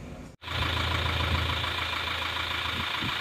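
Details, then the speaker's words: Isuzu Panther diesel after replacing cylinder sleeves (non-original liners) and piston rings instead of reusing the old sleeves: settled, even diesel clatter at idle with a steady beat and no knocking; healthy, smooth-running diesel. "ini adalah setelah diganti seker ganti r seer dan liner itu bunyinya seperti ini"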